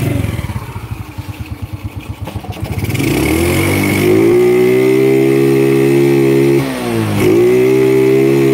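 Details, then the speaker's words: Honda Grand motorcycle with a low rev ceiling, kick-started on a replacement CDI; kick thumps catch, revs climb and stall at a low flat ceiling, dip and return; ceiling higher than with the original CDI; weak stator and pulser coil suspected of capping rpm. "Ini enak hidupnya, cuman masih sama mentok. Cuman bedanya dengan yang lama."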